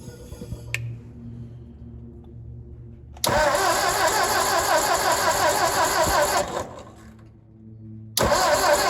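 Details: Ford 961 Powermaster tractor after ignition repairs, spark plug wires reconnected: engine catches and runs at a steady even pace, dips briefly, then recovers; running smoothly again.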